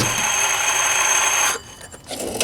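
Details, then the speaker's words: Jeep Wrangler YJ belt-drive check, alternator spun by hand off the belt: rough, gritty clacking rattle, then it coasts down quiet; alternator bearing worn out, alternator replaced along with the idler pulley. "definitely the alternators toast you can hear it clacking"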